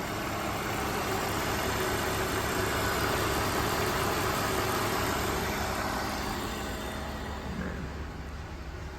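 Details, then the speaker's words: BMW E46 325Ci manual that sat for about one to two years, cluster not working: it starts right up and the six-cylinder idles evenly with a soft steady hum, no misses, knocks or ticks. Owner calls the engine remarkably smooth; normal idle. "so it starts right up all right you can't see and the cluster doesn't work but that'll be fixed but yeah it just runs so smooth it is insane how smooth this engine is and it's been sitting for like a year or two"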